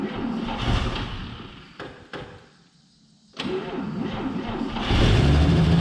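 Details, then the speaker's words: 1949 Chevy Fleetline 216 six after freeing stuck lifters and straightening bent pushrods: fires up and revs out smoothly through a quiet dip and back up, no knocks or ticks, until running out of gas; normal revving. "it revs pretty hard right before it runs out of gas"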